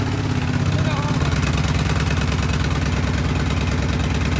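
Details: 2010 Kawasaki Brute Force 750 twin at fast idle after fixing a cylinder that wasn't firing, left running to burn off gas poured in: steady, even low chug, both cylinders now firing cleanly with no misses.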